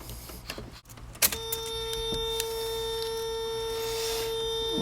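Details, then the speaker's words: 1991 Mazda Miata, power window switch removed and its contacts cleaned, then tested with the ignition on: a clean, steady motor whine at an even pitch, no catching or straining, and the window goes down. The window motor runs normally. "I can hear the motor trying to activate that's down it went down"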